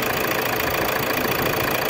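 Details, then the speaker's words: Toyota Hilux 3.0 diesel started after injector replacement and decarbonization: an even, steady diesel clatter at idle with no misfire or uneven beat; it idles smoothly and healthy. "pode dar partida e e aí e aí turma que beleza ali"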